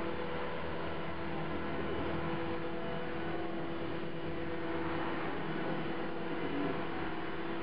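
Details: CopterX RC helicopter after a crash, blades not tracking: steady harsh buzz with fixed mid-pitch tone throughout; owner suspects bent blades, possibly blade holder or feathering shaft, not confirmed.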